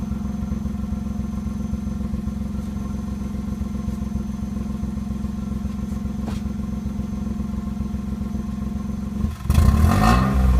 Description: Appears to misfire when the throttle is first pressed. Also randomly cuts out while driving.